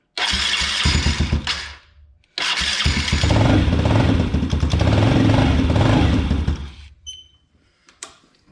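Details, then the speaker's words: Can-Am DS90X after replacing a bad starter and the starter idler gear, which had broken teeth: one short crank, a pause, then a clean start into a steady idle with no clanking. The starter now engages properly. "no clankity clank anymore"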